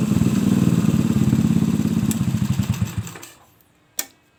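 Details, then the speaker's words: Suzuki Shogun single-cylinder motorcycle, trail conversion with no air filter, after cleaning a clogged carburettor that restricted fuel and hesitated on throttle: crisp short rev with no stumble or bog, dropping back cleanly; normal revving, fuelling healthy. "Nah, sepeda motor ini pasti enak buat untuk tarikan setelah selesai untuk menguras atau membersihkan pada karbu yang tidak normal ya, agak terhambat bahan bakarnya."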